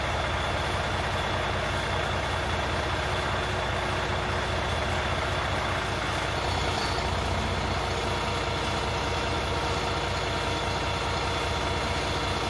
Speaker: okay so you definitely can hear that change when it pops off at idle so if you had one and you started it up and it makes that sound the alarm goes off the uncropped makes that noise then you have an improv failure